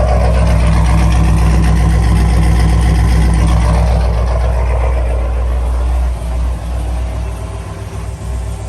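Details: Chevrolet Camaro LS3 V8 after replacing stuck cylinder-one lifter, new cam and lifters, coolant refilled, first start on jump box: smooth, even idle, steady low rumble, no valvetrain ticking; quiet, healthy.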